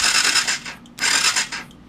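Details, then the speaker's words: 1994 Yamaha FZR600 sat 15+ years, fuses OK, solenoid jumped with screwdriver: two brief high whirring bursts of the starter turning the engine over without firing; the solenoid looks new, so a bad connection is suspected. "it it turns over and the interesting thing is this looks like a brand new solenoid"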